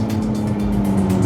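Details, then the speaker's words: Electric car on a test drive, either the Zeekr 009 or the Leapmotor C10, creeping below 40 km/h: a loud, steady, low synthetic hum from the speaker under the hood. The pedestrian warning sound is too loud; a pending OTA update had not been applied to this car. "Mas isso é basicamente um recurso de segurança presente em muitos desses veículos para que os pedestres e as pessoas ao redor possam reconhecer quando há um veículo elétrico em movimento."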